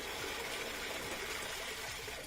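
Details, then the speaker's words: Kenmore (Whirlpool direct-drive) top-loader after the lid switch was zip-tied back into place: a strong, steady rush of hot water filling freely with no sputtering; hot and cold together give the fastest fill, and the fill is healthy. "just hot pretty good together gives you the fastest fill"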